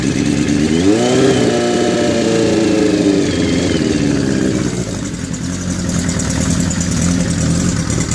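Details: 1981 Kawasaki GPz550 four-cylinder, first start after frame-off restoration and engine teardown, not run since 1994: catches, revs up, settles into fairly even raised idle (idle screw turned up), no knocks or backfires; runs well, owner thinks carbs may need syncing.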